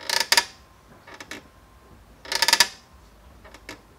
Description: Here's what causes creaking brake calipers and how to fix them.